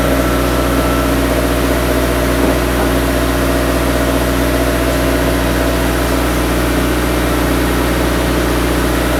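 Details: Idling after a five-month winter build, ahead of a clutch and transmission test: constant, level low hum with a steady drone over nine seconds, no knocks or misses; a smooth, healthy idle.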